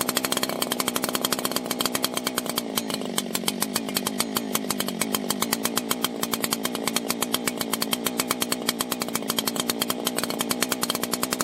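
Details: 1980s Husqvarna 281 two-stroke chainsaw, after fixing a popping/crackling ignition issue: crisp, even high-rev buzz with a fast steady firing rhythm and no crackle; normal running.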